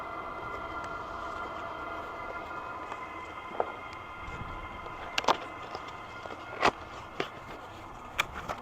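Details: SILVEL 8kW 12V diesel air heater, first use, about five minutes after start, output warm: quiet steady fan whir with occasional soft ticks, no rumble or sputter; running normally.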